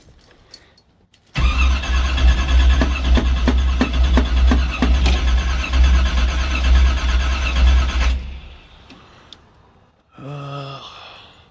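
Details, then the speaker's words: 1984 Camaro Z28 350 V8 cold start at about 25°F after pumping the throttle: cranks, catches, runs rough several seconds, dies and cranks again, likely flooded. "Pump it a couple times and let's see what happens. Give it a couple more pumps. Oh yeah, definitely cold. Oh, almost. Well, there she goes. Oh, and there it goes."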